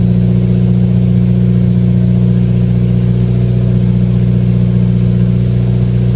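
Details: 2015+ Subaru WRX idling after CNT Racing header install with J-pipe and exhaust refitted, half a quart added; smooth steady low burble, even exhaust pulse, no leak ticking or puffing; normal idle.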